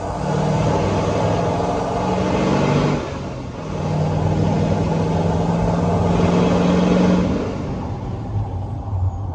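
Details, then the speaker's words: Diesel truck with Powermax turbo, intake tube off, revving up and dropping back: loud open-intake whoosh and a bark on each lift-off, a normal, healthy turbo. "That noise, that turbo bark when you let off."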